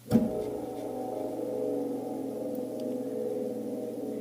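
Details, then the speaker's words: Gas furnace draft inducer motor, system off, spun by hand: a flick then a steady metallic hum and rumble as it coasts down; owner believes a bad bearing, which caused howling at night. "this right here is my inducer motor so i'm going to go ahead and spin this [Music] and that to me is a bad is a bad bearing"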